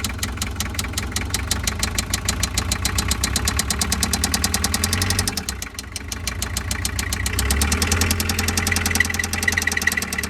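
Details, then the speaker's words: Toyota 2L diesel in a van: starts but barely idles, loses power, with a heavy regular knock over the clatter that gets louder as it is revved, then shuts off; a melted (spun) rod bearing is suspected. Rod knock. "รถตู้หัวจรวดเครื่อง2Lนะครับสตาร์ทติดแต่เดินเบาไม่ค่อยได้นะครับแล้วก็มีเสียงเขกป๊อกๆๆๆแล้วก็กำลังเครื่องยนต์ตกนะครับยิ่งเร่งเครื่องเสียงยิ่งดังนะครับ"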